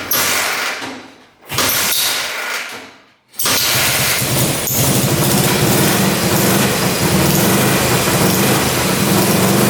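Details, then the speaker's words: Russian Dnepr military motorcycle, first run after 30+ years sitting in a barn, carb freshly working, burning off old oil: steady fast idle with a thin bad squeak over exhaust throb; owner unsure, possibly the points area. "hear that squeaking I don't know if it's the points area or what something's squeaking pretty bad"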